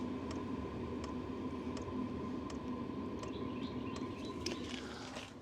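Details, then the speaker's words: Diesel heater heard up close near the tailgate: soft, even ticks about every three-quarters of a second over a steady heater hum; the fuel pump's normal clicking pulse. "so as you get close to any diesel heater you're going to hear the little bit of the clicking so if I get down here and look at this and stand right here you can hear it clicking just a bit"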